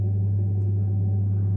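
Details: Saunier Duval gas boiler on hot water (shower) after the F2 cut-outs were fixed: a steady, even low hum with no cycling, rattles or clicks; the boiler runs normally.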